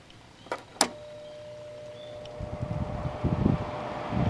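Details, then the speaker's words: 2000 Quasar HQ2061FH 6000 BTU window air conditioner (same as Panasonic) switched on: switch clicks then steady low hum and rising even air rush through low and high fan; fan normal. "low fan. High fan. There's low cool. Came on."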